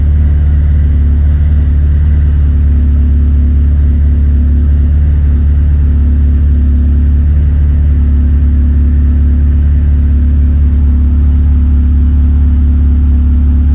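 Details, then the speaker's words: K20-swapped DC2 Integra racecar idling after a fuel system fix for injectors clogged by debris from the tank, with the Haltech Nexus R3 running the main fuel pump by PWM at under 20% duty: steady, even low rumble, no knocks, misses or pump whine. Normal idle. "that work perfectly so as the fuel pump was priming I could hear that it was barely running"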